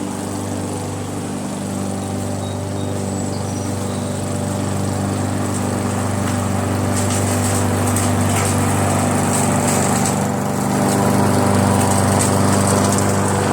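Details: Briggs & Stratton mower engine with a Pulsa Jet Prime plastic carburetor, after its diaphragm and gasket were replaced: a steady, even drone with a fast regular beat and no surging, now running perfectly.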